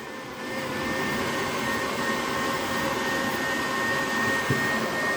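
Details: HP EliteDesk 800 G2 SFF with power supply fault, fan tacho wire disconnected, booted with fan detection error: loud steady rushing fan roar with thin constant whistle, no speed change; fan forced to full speed without speed signal.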